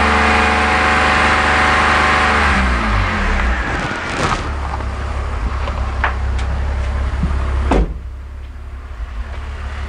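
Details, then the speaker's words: BMW E46 330i/325i, large intake vacuum leak deliberately created, engine at raised RPM: stumbles and drops away unevenly over a hiss; fuel trims climbing, heading for P0171/P0174; misfire from vacuum leak. "leak you can now hear that's a large vacuum leak the engine's missing"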